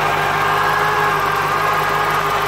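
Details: 1996 Corvette C4 LT4 with ZF manual gearbox, steady idle with constant mid-pitched whine and hum over the engine; noise from the manual gearbox.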